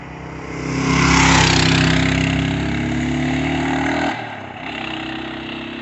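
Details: 1992 Kawasaki KLR650 single after a carburettor overhaul: it thumps along, revs briefly, then drops back to an even idle with no misses or hunting; normal idle.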